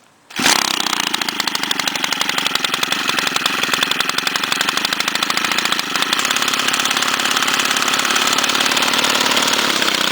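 Catches on the first pull and settles into a crisp, fast, even buzz with steady firing; trimmer engine running healthy.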